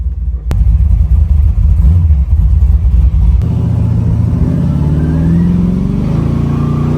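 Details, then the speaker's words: 1980 Chevy Malibu with a 540 cubic inch big block Chevy and new Holley EFI, swapped from a mud truck, 4.11 rear gears, 3,200 rpm at 60 mph; deep, even V8 rumble that climbs smoothly, no knocks or misfires, little cab drone. Healthy acceleration. "Sounds great. And it's not a lot of drone in the cab, honestly."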